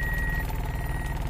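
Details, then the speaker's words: Toyota Altis 16-valve automatic, warm, idle about 1100 rpm, shifted into reverse: idle sags to about 1000 rpm into a low, lumpy throb pulsing several times a second under a steady warning beep; heavy shaking. "papasok natin sa reverse ito yung concern nakapasok sa reverse bumagsak yung Menor yun nagwarning nagwarning nanginig"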